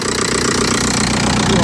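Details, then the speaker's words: Old Audi A4 diesel just jump-started after aux belt and tensioner replacement with Gates parts, running cold; steady rattly diesel clatter at idle, even and unchanging; mechanic queries a noise but calls it a normal dirty diesel, cold; normal. "What's that noise though? Huh? What's that noise? Oh, I know, it's a bit cold. Yeah, possibly, yeah. Sounds like a normal dirty diesel."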